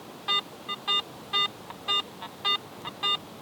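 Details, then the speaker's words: AT Pro metal detector in Pro mode, no iron discrimination, coil sweeping over an old buffalo nickel: a clean, repeating mid-pitched beep about twice a second, a normal medium target tone. "still a clean medium tone."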